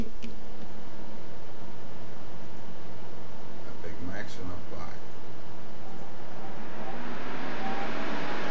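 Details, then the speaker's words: Corsair H100i GTX liquid cooler radiator fans, mic at the fan, after BIOS fix of 0 RPM problem, switched via Corsair Link to maximum profile: soft air rush swells and brightens as fans spin up to full speed; normal, loud. "well Max is quite maximum uh maximum noise so I choose balance of performance"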